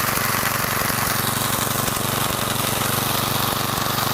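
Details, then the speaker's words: Garage-sale gas edger after carburetor work, fuel-air mixture screw backed out from fully closed by about one and a half turns: small engine buzzes at steady high idle, even firing with no stumbles or surging; still needs fine tuning. "All right, she's running. Whew. Took a little while. That fuel air mixture screw, it was just all the way in. So I backed that out."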